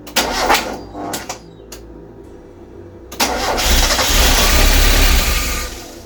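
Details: Mk1 Mazda MX5 on jump-start charger, first start after reassembly with exhaust manifold, long unstarted: starter churns in short bursts then a longer spin that never catches, because the airflow meter was left unplugged.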